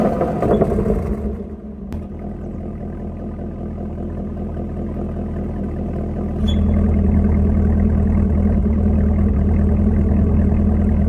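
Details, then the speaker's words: Loud chirp from the active exhaust valve actuator when switching exhaust modes at idle, also heard on throttle, with a steady low rumble; new brakes didn't cure it; fix is greasing the exhaust valve actuator. "so I'm sure you guys can hear that chirping noise it's a lot louder in person than uh hearing it in the video like it's pretty loud like it it over um Powers the exhaust so it is making that noise when I go through the exhaust mode"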